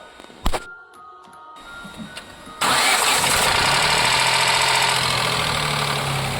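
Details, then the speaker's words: Ford Ka 1.0 three-cylinder at start: harsh metallic clatter over idle for the first seconds, returning constantly when hot; worn cam phaser pulley with play, engine itself fine though other shops condemned it. "Reclamação do cliente. Barulho ao ligar. Assim que liga faz depois passa uns segundinhos e para. E quando o carro esquenta, barulho o tempo todo. Parece que tá destruindo o motor."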